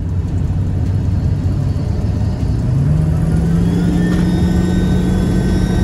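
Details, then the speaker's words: 7.3 Powerstroke diesel truck, stock except a TS Performance flip chip on the 75 hp tune, with factory exhaust and muffler, tested with a 6637 air filter replacing the factory airbox: steady full-throttle roar with a clean, louder turbo whistle. Healthy spool, same boost as before. "All right, guys, one thing, you can hear the turbo much more. The turbo sounds really good."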